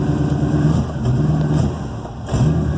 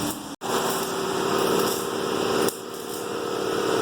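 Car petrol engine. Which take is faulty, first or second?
second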